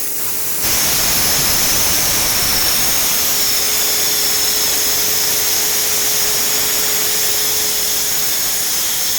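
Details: Renner RS TOP 7.5 kW screw compressor, about 1 m³/min, built 2013, just under 5,000 hours, freshly serviced with new separator and filters: starts into a steady airy rush with a constant mid hum, no rattles or knocking; runs smooth and even.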